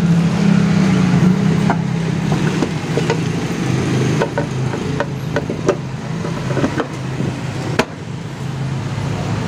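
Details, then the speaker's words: Honda Beat FI scooter after a cheap CVT fix (a heat-resistant plastic shim plus grease) for a clattering sound at idle; now a smooth, steady low drone with only occasional light clicks and no grinding from the belt drive. "Alhamdulillah Ini udah nggak bunyi lagi ya kawan-kawan ya"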